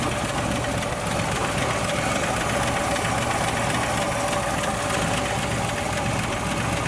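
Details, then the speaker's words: 1962 Ford Falcon with original Holley carburetor refitted, after fixing a vacuum leak on top of the fuel pump: constant idle, no whistle, hiss or surging; idle may still need adjusting. "All right, she should fire up now. No more vacuum leak. Might have to adjust the idle"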